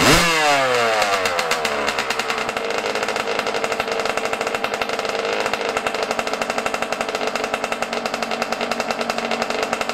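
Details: Yamaha YZ125 two-stroke just started cold at about 20 degrees outside: fires with a quick rev, then settles into a ragged, uneven popping idle; running off-tune, air screw and idle on the carburetor to be adjusted.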